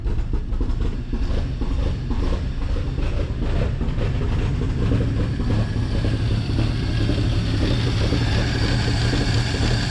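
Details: 1949 Chevy Fleetline 216 six, side cover off, after freeing stuck lifters and straightening bent pushrods, idling cold: rough, uneven beat with fast light typewriter ticking; valve train tapping, smooths as it warms.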